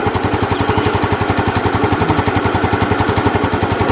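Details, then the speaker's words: Yamaha Jupiter Z that had lost ignition, running with a test CDI; quick, even exhaust pulses at steady idle with no skips, so the CDI is fine; main fault found in the pulser despite it being new. "cabut mati motornya ini t CDI 33nya hidup ya untuk CDI berarti gak ada masalah ya teman-teman"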